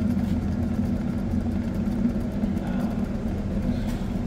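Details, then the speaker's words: Toyota Hilux with 440,000 km, cruising: steady low droning hum over the road noise from a worn rear axle-end bearing, to be replaced. "Tá ouvindo aí o barulho do rolamento vamos lá ó desse lado aqui ó a diferença"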